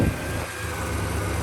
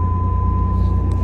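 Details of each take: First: Project Firebird just refilled with coolant, idling with a low, uneven, labouring rumble that wavers; idle had been a problem before, it struggles and nearly dies but keeps running; cause not confirmed. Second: 1989 Pontiac Firebird V6 being restored, running a couple of minutes; low, steady hum with even pulse, no misses or knocks: normal idle.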